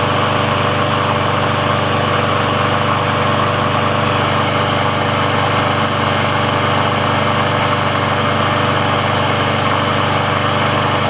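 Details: Briggs & Stratton engine on a Sears Craftsman mower after service/repair, warm with the auto choke open: steady, even small-engine drone with a constant beat and no misses or surging. The auto choke works as it should, so running is normal.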